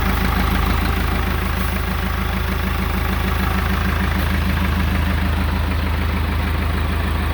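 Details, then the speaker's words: Ford backhoe diesel, first start after rebuild with air bled from the fuel system and the hydraulic pump not yet hooked up: a steady, even idle chug with a low regular beat and no knocks or misses; it runs well. "foreign and it runs really well"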